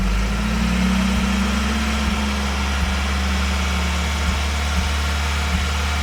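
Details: Toyota 22RE engine: steady drone with brief irregular stumbles. A random misfire occurs between about 2000 and 3000 rpm; the cause is not yet found.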